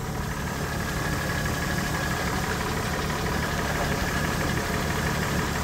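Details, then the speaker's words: High-mileage 2006 Honda Ridgeline at idle during a pre-purchase inspection, with the oil just replaced. A steady idle with a faint, loosely regular clunk about three times a second. The inspector is unsure of the source and suggests maybe the valve train. "engine is humming new oil the oil was just replaced uh I don't know what that noise is it does have [Applause] a a clunk I would say maybe from the valve train"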